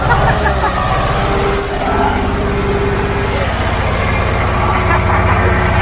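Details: Caterpillar logging machine diesel after bleeding air from the fuel lines, idling on its own: deep even beat about two per second, no misses or knocks; normal idle.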